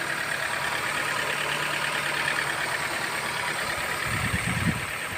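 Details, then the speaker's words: Toyota 1SZ-FE engine, still cold: soft, even idle, barely audible, just a faint hum and no knocking; quiet normal idle. "Кое-как. Шепчет. Не слыхать почти."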